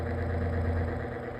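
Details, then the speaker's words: Lasko Windstorm pedestal fan on speed one: steady low hum with buzzing, shaking vibration drone that persists over days; speed four is fine. Fan vibration noise. "it makes this abnormal vibration noise and it's annoying. It It just doesn't on speed one and speed two."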